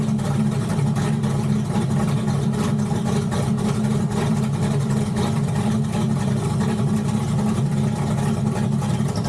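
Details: Turbocharged Flathead Ford V8 at first startup after running out of fuel: loud uneven lumpy running with a choppy low rumble; ignition timing too retarded, still needs more timing and tuning.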